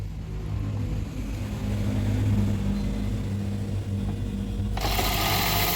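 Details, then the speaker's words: Toyota Prius after replacing old leaking spark plugs and extracting a broken plug: steady, even low hum with no stumble or shake; vibration, hesitation and random multiple-cylinder misfire are gone, smooth healthy idle. "Yep, that's smooth. No more vibration, no more hesitation, no more random multiple cylinder misfire, and that's a fix for this car after all the cleaning and all the job has been done."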